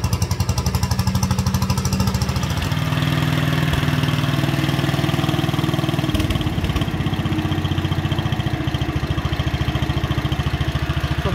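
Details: 1957 Wheel Horse RJ35 tractor idling after a cold start following one to two years unused: steady single-cylinder putt about two beats a second, no misses or knocks, no smoke; carburetor may need a little adjustment; healthy idle.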